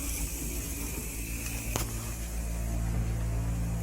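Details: Faucet with hot water turned on: steady low buzzing hum with a faint pulsing beat, vibration noise that occurs only when the hot water runs.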